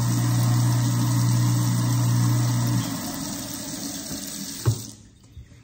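Smooth, even low hum over running water for about three seconds, then it spins down with no grinding; the disposal is working normally.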